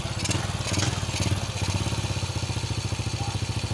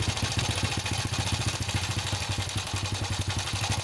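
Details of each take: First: Honda Supra X single-cylinder motorcycle after repairing broken cam chain tensioner: steady, even idle at about two beats a second, no cam chain rattle; much smoother than before, the rough rattling noise was the broken tensioner. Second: Honda Supra X idling: busy, uneven metallic jingle over the low thump, rough at low and high rpm and each blip; cause unconfirmed.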